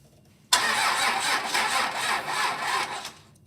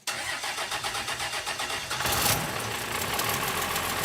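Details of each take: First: Roadkill Ramp Truck diesel, sat 3 years, new battery reading 12.1 volts, starter bypassed with a pigtail, injectors cracked open to bleed air. Sluggish, uneven cranking at about four compression beats a second, turning over really slow and never firing. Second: Roadkill Ramp Truck '59 diesel after sitting 3 years, fuel shutoff solenoid lifted by hand while the key is turned. Rhythmic cranking at about five turns a second, then it catches with a burst and settles into a steady idle.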